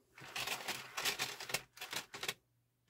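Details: Denon UD-M50 CD changer, just reassembled before any CD was inserted: several short bursts of dry, rapid mechanical clatter with quiet gaps as it runs its eject sequence; normal changer eject cycle.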